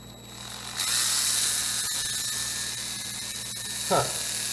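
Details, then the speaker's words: Stanley FatMax drill reassembled after over a year disassembled: harsh gritty grinding over the motor whine that eases as speed rises; something rubbing inside, possibly glue, unconfirmed. "all right guys let's see what happens it's working look at that I hear some grinding though what is that"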